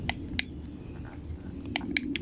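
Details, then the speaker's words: Homelite Mighty Lite HBL26YBN blower with good compression that won't run: about five sharp dry clicks, one per press of the primer bulb without fuel, because the carburetor's metering diaphragm has hardened and gone stiff; the carburetor is then rebuilt. "that is because of the diaphragm is on the metering is already hardened and stiff and that's behind this assembly here so that's obviously the engine won't run"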